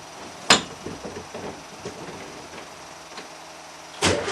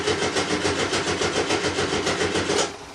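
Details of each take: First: Volkswagen T2 air-cooled van, cold start after about five weeks standing: a few weak cranks while fuel pump primes, then catches and settles to an even rapid idle; normal cold start. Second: 1975 VW Type 2 campervan, cold, unstarted for about five weeks, new battery: starter churns about three and a half beats a second without catching, then drops away; normally needs several tries while the fuel pump primes.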